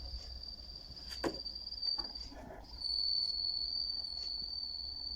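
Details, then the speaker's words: HMV-102 gramophone motor at 78 rpm: steady high whistle near 4.5 kHz over the running motor that is absent at lower speeds. "это на более быстрых оборотах ставим стандартные 78 и вот он писк такой не писк Ну свист на меньших оборотах его нету"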